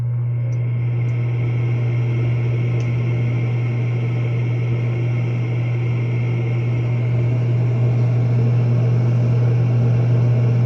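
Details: Propane warm-air horizontal commercial furnace in an attic, after replacing and adjusting a universal igniter that wasn't reaching the flame: lights every time, blower comes on; smooth constant low hum with even airflow rush, no banging or cycling off; normal operation.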